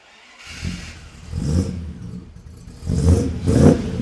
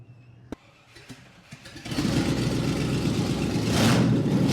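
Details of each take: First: Rebuilt 1975 Land Rover Series III V8 on choke, with a new stainless exhaust and tucked-up Y-pipe without slip joint: deep burbling idle and three clean rev blips, no knocks or blows; normal idle and revving. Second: Rebuilt 1975 Land Rover Series III V8 started with no exhaust fitted before a new performance exhaust: after a few clicks it catches and barks loud and raw, harsh crackling roar straight from open manifolds.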